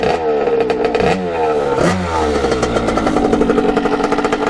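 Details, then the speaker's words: 1989 Kawasaki KX80 big bore two-stroke after pilot jet changes, blipped. Quick revs settle back with a burbly, slightly uneven crackle; smoking less than before, jetting still a touch rich, possibly needing a smaller pilot jet. "as you can see it's smoking but not quite as much as it used to"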